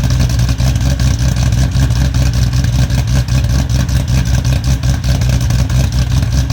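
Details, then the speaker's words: Foose/GT500 supercharged V8 just completed and started on the earlier tune that idles; deep, even burble at steady idle with no knocks or misses; oil burn-off mostly cleared, sounds healthy, tune still to be dialed in. "But she is sounding good and she does sound healthy. So I think we are hopefully good to go now."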